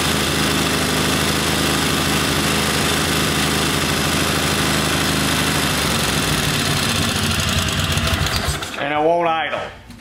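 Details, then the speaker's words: Kohler Command V-twin mower engine, running rich and rough: lumpy uneven loose chuffing, won't settle to idle; bad camshaft compression release not flinging out, kicking valves open. "because it keeps kicking those valves open because that compression young release is bad"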